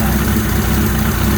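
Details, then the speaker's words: Suzuki GS1100E custom build, four-cylinder, after a cold start while running its fuel out: steady, even low idle hum, no ticks, knocks or skipped beats; quiet and healthy. "she's just gotta love this there's no noise it sinks nice and wide"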